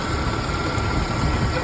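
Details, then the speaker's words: 1993 Ford Ranger 2.3L at idle: a steady thin whir over the low rumble, traced with a mechanic's stethoscope to a destroyed belt tensioner pulley bearing; fix was removing the belt and replacing the tensioner pulley. "destruido proviene esta polea que está aquí abajo sobre el tensor de la banda podemos Escuchar más fuerte el sonido"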